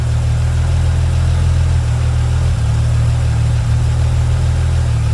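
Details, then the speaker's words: Holden VY Calais V6 after 4L60E transmission service, held in drive on the brake and stalled up to about 1500 rpm to fill the torque converter, no cooler running: deep, steady low drone, no knocks or misses; sounds healthy. "put it in drive put your foot in the brake and stall it up so by stalling it up it allows the transmission to put more fluid into the torque i converter"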